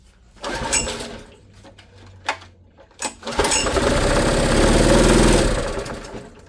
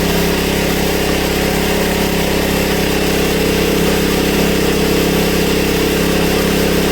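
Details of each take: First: Honda EB1400X generator, bought about a year ago, runs but won't put out power; on choke, then half and no choke, it catches after tries but labours at low, uneven revs, never reaching speed, bogging under load; cause unconfirmed. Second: Honda EB1400X generator that previously wouldn't put out power, now making power: steady even drone with constant hum, no hunting or misfire, up to speed at 112 volts and about 60–65 hertz; running normally.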